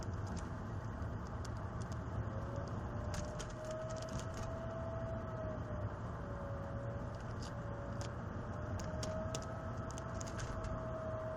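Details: Mercedes 320 CDI diesel: thin whistle near 600 Hz rising and falling with engine speed over low drone; intermittent, appearing 5 minutes into driving and again after 40; oil change didn't help; specialists replaced both turbo impellers, shaft and bearings; worn turbo bearings.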